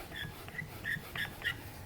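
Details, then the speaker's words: Normal squeal then firm lock of a hand-turned 4L80E overrun sprag on its drum: short, light high squeaks as it spins, then it locks immediately with little play when spun back, as a healthy sprag should. "so they kind of make that little squealing sound and then they lock real nice there's not a lot of play in it when i spin back it immediately locks"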